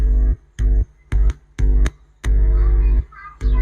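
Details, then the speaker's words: Intex home theater with one speaker very low: touching the amplifier input gives deep mains hum bursts about once a second on both channels, showing the amplifier path is fine; the card may not be outputting audio signal. "दोस्तों यह इसका मतलब यह हुआ कि humming आने का मतलब कि हमारा जितना भी यहां से प्रोसेस है सब कुछ सही है"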